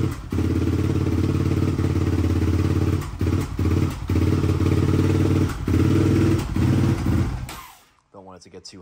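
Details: 2004 Yamaha Raptor 660 dual carb, Pro Design intake, K&N filter, no airbox lid, full Yoshimura exhaust, unknown jetting: single stumbling on choke with irregular pops and dropouts before dying; suspected bad gas, dirty carbs, incorrect jetting; rough running, popping.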